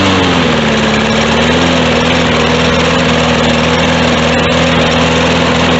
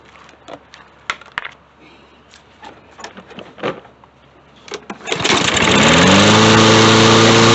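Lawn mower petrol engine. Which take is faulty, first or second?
first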